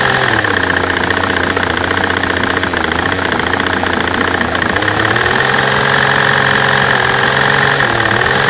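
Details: V12 engine, microphone at the fuel rail over cylinder A3: uneven loping idle with dropped beats, a bad misfire; the fast tapping over it is normal injector noise; cause not pinned down.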